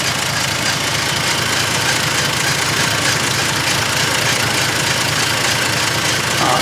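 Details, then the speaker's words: 1948 Dodge B1C pickup, rebuilt flathead six (about 3.8L/230), new starter solenoid and ignition switch, revived after sitting: even, steady running and revving, no misses or knocks; light fast ticking is the voltage regulator. "but it runs absolutely beautifully [Music] as you can hear and it revs up"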